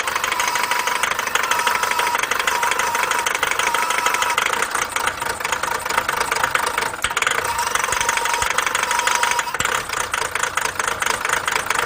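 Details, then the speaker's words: Chevrolet Captiva 2.0 diesel, towed in after a dealer said to replace the turbo: steady idle with a light regular knock; caused by daytime running lights tapping power from a powertrain fuse, dropping voltage. "이건 엔진 파워트레인 관련되어 있는 슈즈라 그런 공급하다가 뭔가 전압이 낮아져버리면 엔진이 아까 같이 그런 상황이 일어나요"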